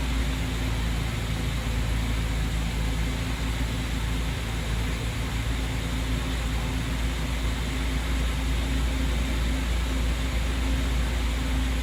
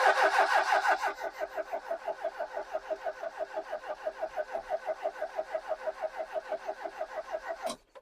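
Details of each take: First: Ex-British army Bedford CF Ferguson 4x4, about 7000 miles, parked for years, first start on a freezing cold day: steady, even low rumble with no knocks or misses throughout; running smoothly after long storage. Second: Ex-British army Bedford CF2 Ferguson 4x4, 7000 miles, parked for years, freezing cold day: starter cranks steadily at about three turns a second with even compression pulses, never catching; ignition lights on but no fuel coming through.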